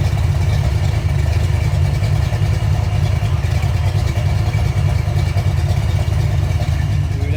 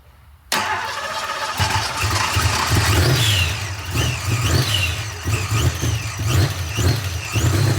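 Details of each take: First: Engine just started: deep, lumpy low rumble with an uneven loping beat and no ticking or knocking. Big-cam idle with lifters pumped up and quiet, judged healthy. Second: Supercharged V8 on first start after new parts: fires and settles into a lumpy, loping idle with uneven pulses. AFR reads rich, and timing is still uncertain.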